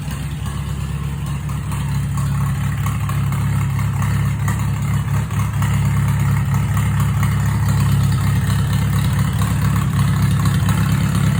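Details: Farmall H tractor, first run after PTO, rear gearbox repairs, new gas tank and rewiring, with a recharged battery: catches without choke and settles into a steady, even low chug of about four beats a second; normal smooth idle.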